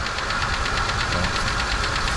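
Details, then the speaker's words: Kia van, long unused, first start on charged old battery with air cleaner box refitted: uneven lumpy idle with irregular thumps and shake, engine running rough, likely misfiring on a cylinder. "yeah it's just hits like usual but she runs I guess sounds like"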